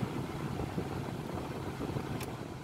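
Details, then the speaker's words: Acura Integra after replacing the blower fan resistor: steady, low, even rush of air from the blower at the higher speeds, with no rattles or squeals; normal fan operation restored. "let's go to level two that works too let's try little three oh yeah you can definitely feel that"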